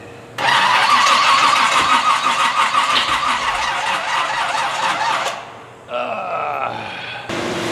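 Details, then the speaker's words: Toyota Land Cruiser with distributor, non-start troubleshooting: engine catches and revs raggedly, then settles to an unsteady idle; ignition misfire from crossed plug wires, spark reaching wrong cylinders; fix planned by changing wires rather than reclocking distributor. "I think we just change our wires I'm not pulling that dang distributor up again"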